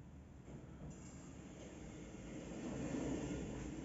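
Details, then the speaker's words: Electronic lift door after loosening over-tight plastic door shoes that rubbed the sill: smooth even rumble, no squeak or scrape; door now runs cleanly. "А то так пищала сейчас нормально не пищит не"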